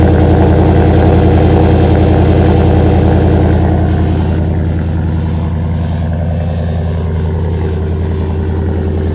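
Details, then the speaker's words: 2018 Ford F-150 5.0 V8 with a Flowmaster Outlaw exhaust, remote-started after sitting an hour at about 30 degrees: a steady idle with a faint metallic rattle from a poorly routed pipe tapping the spare-tire heat shield. "um but this exhaust is pretty loud you could hear some rattling noise this exhaust in my opinion is not routed really the best"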